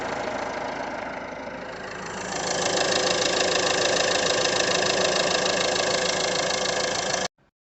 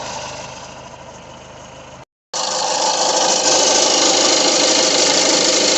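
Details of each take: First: Peugeot 2008 1.6 HDi DV6 diesel at 131,000 idles evenly, stepping up slightly then holding steady with no knocks, rattles or wobble, after the noisy crank pulley was replaced and the second belt tensioner refitted; sounds healthy. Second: Peugeot 2008 1.6 HDi DV6 diesel at 131,000 on the odometer, idling: an even rattle about four times a second from the crankshaft pulley, having quietened down a little. The pulley is to be replaced.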